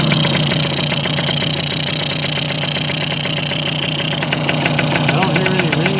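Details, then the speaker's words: Circa 1965–67 Yamaha YJ2 60cc two-stroke on premix, mic close, idle being turned down: quick, slightly uneven pop, rich and clearing out; no ringing or knocking, engine sounds tight; owner suspects oil-filled pipe. "dingy but pretty tight I think pretty well loaded up get a little better idler down a little bit that's a little too much starting to clear out a little bit"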